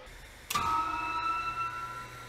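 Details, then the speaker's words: 1960s brake press with a 900 lb flywheel after an inner and outer bearing replacement: a thump at switch-on, then a smooth, steady fan-like whir with no rumble as it reaches full speed; it needs a soft start. "and there you go so that that's a full speed right there and I that just basically sounds like a little bit of a fan going on"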